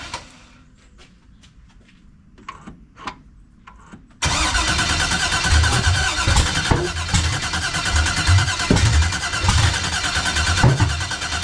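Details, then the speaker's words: 1989 Chevy Box with LS swap, new starter, external fuel pressure regulator, new fuel filter and return line, cam sensor outer wires swapped, fuel pressure built up: quiet clicks then steady cranking with uneven pulses, never catches; sensors or timing suspected. "All right, once again, man, she act like she want to do it, then she just don't."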